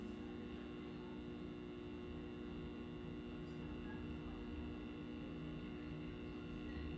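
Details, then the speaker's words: Original cocktail table, probably an Asteroids Deluxe, speakers hooked up, power on before game board boots: quiet steady electrical buzz, no mechanical noise; worsens once board boots; ground loop hum from bad ground. "I mean, sure, it's got a little noise to it right now, but it's quiet. And it's not until the game board boots that it starts getting bad."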